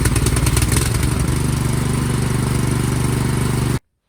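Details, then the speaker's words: Cub Cadet 528 SWE snowblower, after replacing weak-spark magneto coil: small single-cylinder catches, runs evenly about three seconds, cuts off cleanly; starts and runs normally. "well success it was that magneto the weak spark"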